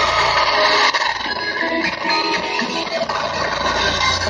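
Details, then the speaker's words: Small radio playing harsh, fuzzy, crackly music smeared under noise before disassembly; crackling, distorted audio, cause suspected, not confirmed. "Oke kasusnya seperti ini teman-teman suaranya Suaranya nggak jelas"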